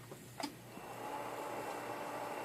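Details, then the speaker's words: Yaesu transceiver cooling fan on top of the radio, just unkeyed after AM transmitting with a fairly strong carrier that drives the transistors hot. A faint steady whir continues after a few clicks; the fan runs on normally. "you're really going to get hot you can hear the fans running they're pretty continuously so and I unn keyed fans fan still running not keen to mic anymore"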